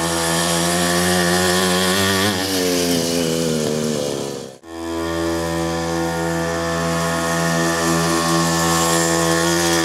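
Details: 47cc two-stroke mini pocket rocket bike test run after reassembly, no fuel leaks: high buzzy note dips almost to silence, then runs steady and crisp at high revs; runs clean and healthy.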